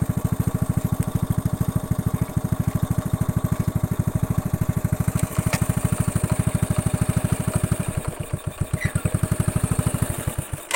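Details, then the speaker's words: Honda Astrea Grand, hot engine after combustion-chamber and valve repair with compression and cam chain checks, previously rough at the head when hot: quick, even putt-putt idle with no rough head clatter. "Nah untuk suara mesin tetap adem anteng ya untuk suara mesin tetap adem dan anteng tidak ada suara kasar lagi di bagian headnya"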